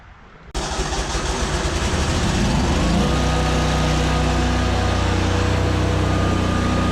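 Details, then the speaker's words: ZT200 zero-turn mower deck test with new PTO switch: engine fires up then labours to a heavy loaded drone as the seized deck won't turn, likely slipping the clutch; something in the deck is jammed. "okay we could hear it load the engine down probably slipping that clutch like crazy because it wouldn't turn but we could see these kind of make tension so something in here is completely stopped up"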